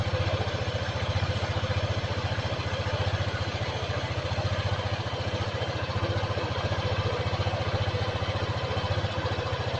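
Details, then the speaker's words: Honda PCX 2018 scooter at 1000 km, first service with oil change, noisy "ngorok" engine: idle still rough, not smooth, with a coarse throbbing putter at three to four beats a second and some clatter; cause not confirmed. "Suaranya masih kasar, nggak terlalu halus masih."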